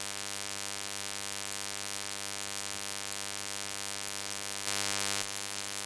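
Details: Steady electrical buzz with a dense ladder of tones, unchanged throughout ShadowPlay-recorded audio; interference hum of unknown cause, owner asking how to fix it.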